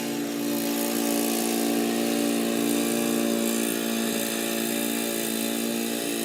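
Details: Old Murray riding mower with a 12 hp Briggs & Stratton engine, mowing in 30–33 degree heat: steady, even hum holding its pitch while cutting, without surging, knocking or stalling; normal healthy running under load.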